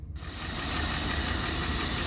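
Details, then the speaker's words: Rolls-Royce V8 at idle, slightly lumpy, with a light quick tick on top, often mistaken for a bottom-end knock or valvetrain tap, actually the suspension system pump buried in the engine V. "Everyone always says it sounds like it's got a bottom end knock or it's got some valve train tap, because if I shut up, you'll hear it ticking. But actually, buried in the V underneath all of this gubbins is the pump for the suspension system."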